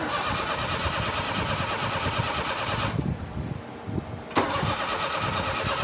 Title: Seema | Cold Hard Start| Car Trouble Trying Cranking Pedal pumping | #crankingCar